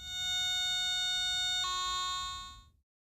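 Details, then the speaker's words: Garrett ATX pulse induction metal detector: clear, steady high electronic tone that jumps to a new pitch then fades; continuous audio responding proportionally to target signal strength, normal target response. "the ATX operates with the continuous audio that responds proportionately to a target signal strength"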